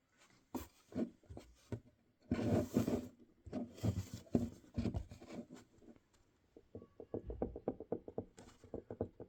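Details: GoPro mount with folding fingers, camera used once: sharp hollow knocks about three per second from play in the loose hinge, recorded loudly over video audio.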